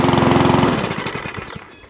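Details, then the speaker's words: Old Mountfield 414 single-cylinder mower with new pull cord, new spark plug and old foam air filter, primed and started: beats hard, then slows and fades unevenly with a slight hunting surge; it won't restart from cold, and a carburettor clean is planned. "it may all know what doing to it yeah it's got a little tiny hunting surge to it"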